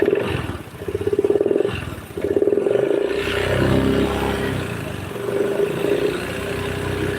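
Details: Honda Beat scooter blowing oil from the engine breather hose into the air-filter box: a fast, rattly tapping knock rides on the running note as it revs and settles; cause unclear.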